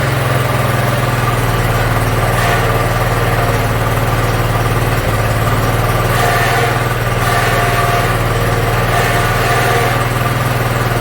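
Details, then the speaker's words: Yard Machines (MTD) 42-inch riding mower, single-cylinder engine, after carburetor cleaning and freeing a stuck emergency shut-off: steady, even idle with a smooth low thrum, no misses or knocks; runs pretty good. "all right looks like it runs pretty good"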